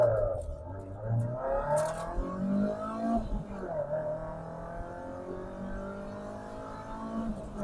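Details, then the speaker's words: MG TF on road, after new O2 sensor and fuel filter: engine climbs cleanly through the gears to about 60 with no stumble, misfire or hesitation; no longer running rough, healthy pull. "60 boom yeah she's quick she's good she sounds awesome certainly back aren't we guys well another job done brilliant so she's not running rough anymore she's running sweet and and really sweet"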